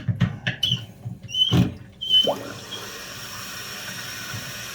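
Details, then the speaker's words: Costco Water Ridge C22148C one-piece toilet refilling after the fill-valve seal/gasket was replaced: a few clunks, then a steady, even hiss of water filling the tank with no gurgle or sputter. The fill valve refills normally, with no leaks heard. "Let it fill to the top. Now we're going to listen for leaks. There doesn't seem to be any."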